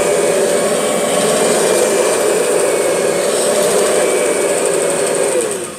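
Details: Kirby G6 vacuum cleaner running: constant high motor whine with warbling mid-pitched buzz holding until spin-down; strange noise, cause unknown.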